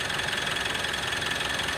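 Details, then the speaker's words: Mitsubishi All New Pajero Sport diesel: gritty rattle with thin ringing note when revved to 2000 RPM and released; turbo checked and fine, noise vanished with fan belt removed, worn alternator pulley bearing. "jadi waktu kendaraan dilakukan RPM qqserasi sampai 2000 RPM dan dilepas gas itu muncul suara derik ya abnormal suaranya getaran di Turbo Namun ternyata bukan di tubuh kerusakannya ada di atau nanti akan kita lihat kita periksa"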